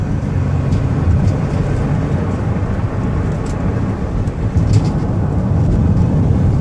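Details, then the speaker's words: 2007 Chevrolet Uplander, 208k miles, accelerating onto highway to about 64 mph: loud road and engine rumble builds steadily, transmission shifts heard with no slipping, flare or clunk; normal acceleration and shifting. "I'm going to give it some gas so you can hear it run. You can hear the transmission shift."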